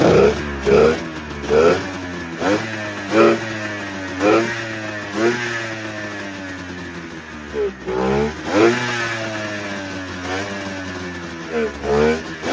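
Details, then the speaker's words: 1999 Arctic Cat ZRT 600 triple two-stroke snowmobile, revived after sitting over 20 years, on a temporary electrical setup with the airbox off: repeated throttle blips, pitch rising and falling, picking up cleanly; normal running after long storage. "Well guys, I've got her to run now and she'll start on her own."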